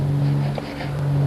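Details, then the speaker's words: Zeta car being started after ten years in storage, gravity-feed fuel tank: sluggish, steady starter drone with a slight waver, engine turns over slowly without catching; slow cranking, low cranking power suspected. "It's not turning over quick, but it's turning"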